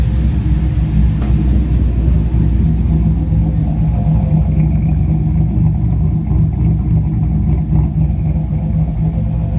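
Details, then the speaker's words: 2004 Chevrolet Colorado with 5.3L V8 swap and Texas Speed stage 4 cam (223/226, .600 lift, 111 LSA), warm, tuned idle about 925 rpm, long-term trims -3 to -4: deep choppy uneven lope, no longer stalling; normal cammed idle. "I set it to idle around 9:25 the long-term trims around minus four minus three is on that the white band there it's not stalling anymore motor sound hip"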